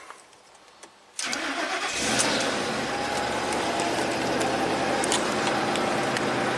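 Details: 2003 Ford Expedition, over 200k miles, no fuel pressure with P0231, after bypassing the fuel pump relay circuit with the pump fed about 6 volts: quick crank, fires at once into steady even idle.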